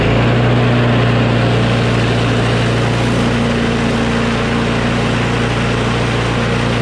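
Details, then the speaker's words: Craftsman push mower with a Briggs & Stratton Quantum engine, about 23°F, after the spring tab was bent in to reduce overtension: steady, even single-cylinder drone at constant speed, no hunting or surging, sounding much better; runs normally. "so okay that sounds much better now"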